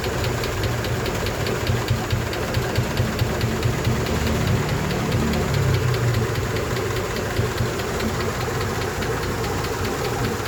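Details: Honda engine ('88) idling with a fast, light, uneven ticking, roughly two per second, source not pinned down; engine ticking.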